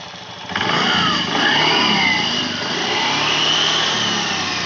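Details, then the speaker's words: Honda Beat scooter after CVT service replacing roller housing and rollers, previously noisy at idle: starts and revs smoothly, whirr rising and falling evenly, no rattle or grinding; grinding noise gone, normal CVT operation. "Oke untuk suara tripbase dah ilang maka menandakan pekerjaan ini sudah berhasil nya"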